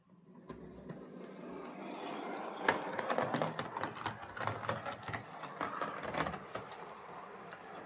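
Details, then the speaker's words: Hornby R2553 Princess Coronation Class "City of Bristol" model loco after fresh axle oil, on layout: soft rolling rumble, light rail-joint ticks, no clicking on curves or in tunnel; clicking was rods hitting crank pin tops. "no clicking in the tunnel [Applause] yeah that's fine so as I thought the clicking was just the uh the rods hitting the uh the tops of the crank pins"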